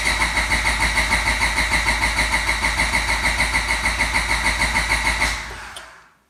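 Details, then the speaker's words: Even starter cranking about three compressions a second with distributor and fuel pump unplugged, no firing, priming oil pressure before dyno day until the oil light goes off; then cranking stops and ignition and fuel are reconnected. "Once you see that oil light go away, that's how you know. You saw my oil light go off. So you know I build pressure."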